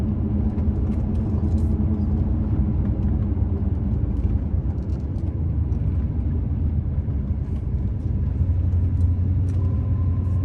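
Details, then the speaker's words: 2005 Chevrolet Silverado 3500 dually 4x4, 26,000 miles, slowing for a corner on a firm brake pedal: even low road rumble with no squeal, scrape or grinding, no pulling or lockup; brakes quiet and healthy. "Here at the brakes do not squeak, they don't grind, they don't lock up or pull the truck to the side or anything like that. You step on the brakes, it just brings the truck to a stop without any problems with anything at all."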